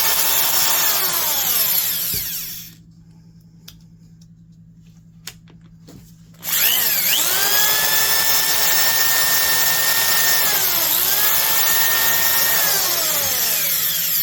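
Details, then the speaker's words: Milwaukee 5378 German-made two-speed hammer drill, 7.5 A, 2500 rpm, reassembled after regreasing a dry gearbox that rattled like rocks; whirs, stops, then spins up to a smooth even high whine with no gear rattle. "Sounds a lot better."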